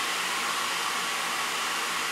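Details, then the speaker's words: AMD Radeon 6990 graphics card blower fan at high speed under full load in Heaven benchmark: loud whooshing air rush with a distinct whine; normal fan noise. "you can hear that it's got that sort of whooshing noise pushing the air out but also a very distinct wine there it is as it's sort of slowing down you can hear that whining noise"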